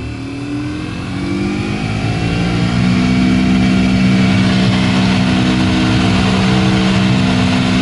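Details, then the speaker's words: Heater blower motor spinning up into a loud, steady whirring hum with a rough buzzy edge, equally noisy on first and top speed; owner suspects a metal piece lodged in the fan blade caused imbalance and vibration. "Как-то шумит одинаково шумно, что на первой скорости, что на... на восьмой там или на какой."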